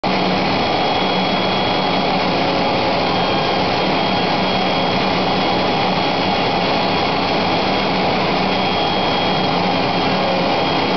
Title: Router Making noise